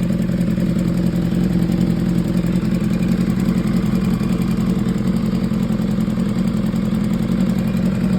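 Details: 2015 BMW S1000RR with 7.8K miles idling: the sport bike four runs steadily with a light, fast ticking over the exhaust note, indicating top-end ticking whose cause is not pinned down.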